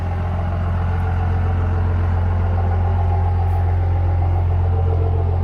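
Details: 2005 Ford F350 King Ranch, 24V 5.9 Cummins diesel, odometer 199,549: loud, even idle with a steady deep pulse of about three beats a second, no misses or knocks; normal diesel idle.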